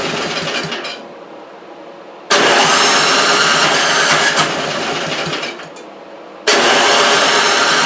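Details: Toro 3521 snow blower (about 21-inch) with spark and compression but roughly three-year-old gas and a holed primer hose: catches with a sudden roar, runs a few seconds and dies, then fires again on starting fluid; fuel starvation, gummed carburetor.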